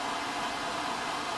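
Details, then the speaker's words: Homemade blower-driven waste oil heater, variable-speed blower set to full blast, just lit as oil starts to drip: steady even rushing roar, no pulsing, rattles or surging; running normally. "I did get a variable speed, but it's kind of not needed. I just turn it on full blast. Slide that over, and that's it. She's up and running."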